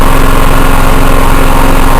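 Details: Brand-new small generator that sat in a humid shipping container, started on choke after refitting parts and draining leaking fuel: loud, steady firing pulses at an even rate, no misses or surging; runs smoothly.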